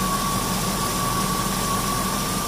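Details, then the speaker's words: Cadillac Northstar engine idling after bypassing a clogged coolant line, following radiator and thermostat replacement and bleeding; steady even idle with constant high-pitched accessory whine, no misses or knocks; overheating considered fixed. "now okay so that's perfect this car is not going to be overheating anymore"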